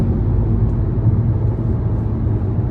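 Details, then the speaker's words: Hyundai engine after reviving a dead cylinder, at highway speed on 62: steady even low rumble under road noise, no stumble or skipping, pulling cleanly. "oh yeah she she get up and go she's running real good"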